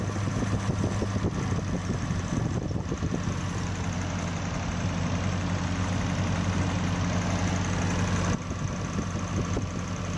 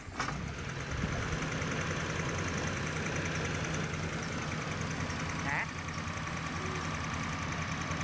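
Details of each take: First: Old carbureted Toyota Corona with a rough-running (pincang) complaint, idling after the plugs were checked, while the carburetor air screw and throttle stop are adjusted: a fast, slightly lumpy idle with an uneven pulse under the drone, still settling. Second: Old carbureted Toyota Corona, first diagnosed as running rough, after setting the points slightly wide because the distributor shaft is worn: a steady, even idle hum with no misses or shaking, ticking over smoothly.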